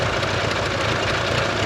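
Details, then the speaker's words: Barn-find Mitsubishi Eclipse turbo four at idle on 5-year-old gas, no MAP sensor, running rich: fast light ticking in time with firing from a major exhaust manifold gasket leak, with a leak at the turbo too; gasket to be replaced. "We've got a huge exhaust leak down there, so we're going to change this exhaust manifold gasket too."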